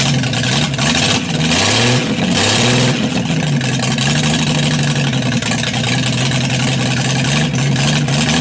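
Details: 200 six-cylinder fitted with a stock unmodified head (about 52 cc chambers) to rule out vacuum leaks in the modified head; timing about 10° initial, vacuum advance unhooked, about 10 in vacuum. Settles from a blip into a slightly uneven, fluttery lopey idle; owner suspects valves or timing need adjusting.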